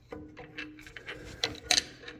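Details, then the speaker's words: Ford Ranger (Mazda B3000) drum brake, after replacing shoes without special tools: screwdriver through the rubber plug behind the drum turns the star-wheel adjuster, giving a few sharp light metallic clicks that ratchet only one way; normal adjuster clicking. "You can hear that clicking. It'll only go one way, so you don't have to worry about click."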